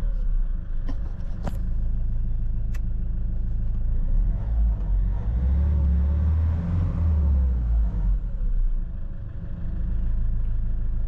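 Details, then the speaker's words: Iveco Daily diesel after oil, oil filter and diesel filter change, fuel system primed first: started first time with no error codes, steady even clatter with smooth rev rise and fall; runs healthy. "Motorul a pornit din prima, fara coduri de eroare, e ok... se aude"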